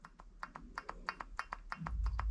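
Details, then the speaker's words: 2010 Cadillac Escalade, front wheel hub rocked by hand with the tire off: sharp metallic clacks about five or six a second from excessive play. A badly worn front wheel bearing, which had caused a hard metallic grinding noise, is being replaced with a new ACDelco unit. "that's how loose this wheel was um it started making a grinding noise in a in a very you know hard metallic noise and you can see how much that moves"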